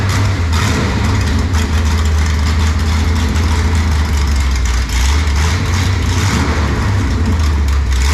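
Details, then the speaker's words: Mopar race car "Junkyard Jet" V8 near end of break-in, long-duration camshaft, fuel pressure around 6 psi after new regulator: deep, loud, loping choppy idle, running strong; normal lumpy idle from the cam. "i'm proud of that thing sounds good you know what the duration is on that camshaft duration long"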